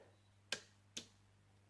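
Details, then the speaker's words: 1967 Chevrolet Camaro RS 572 relay box on test, trigger wire connected: three sharp, crisp clicks about half a second apart over a faint hum, fuel pump relay switching on and off; normal relay clicking. "so I look up the trigger wire to the relays and you'll hear them alright so they're all working we guess"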